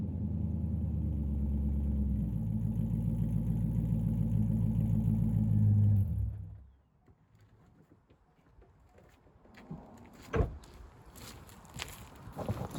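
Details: C5 Corvette Z06 V8 with upgraded exhaust: deep, even rumble building slightly for about six seconds before shutting off; sounds healthy, more sports-car sound but not too loud. Normal running.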